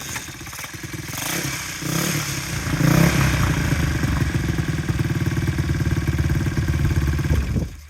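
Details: Swap-meet 1960s Honda CL90 small single that had water in the motor, started after points were checked. It catches and builds to a brisk, steady putter of about four beats a second, then shuts off: it runs evenly.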